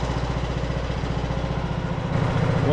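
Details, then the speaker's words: Craftsman LT2000 riding mower, almost 20 years old, just after fitting a new carburetor with a temporary air filter (it popped at low rpm without one): an even, low thump at a steady idle. It runs great, though the idle may need slight adjustment. "can hear it now it's running running great may have to adjust the idle a little bit"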